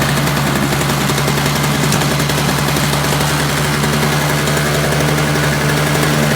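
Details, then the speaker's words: Free roadside Toro single-stage snowblower with a missing primer bulb and Seafoam added: a harsh, rapid two-stroke crackle at steady speed with an even, unbroken note, running smoothly. "alright so you got a couple of things going on could be quite possible thought it could have warmed up a little bit and it started running okay"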